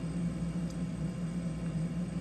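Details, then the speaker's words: Roadside-found beverage/wine refrigerator after replacing bad compressor start relay; previously compressor started for a second then shut off; now steady low mid-low hum with no clicking off — compressor running normally. "it's that standard refrigerator 's fan was working before but it's that refrigerated humming that that working before before it would start up for just a second and then shut off"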